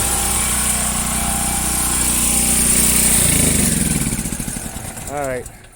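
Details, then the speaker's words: Washing machine on agitate test after lid switch check: motor hums steadily with no drum churn or spin, then quits; broken motor-to-transmission coupling, transmission sealed with no oil leaks. "know what's wrong the coupling is broke she needs a new coupling"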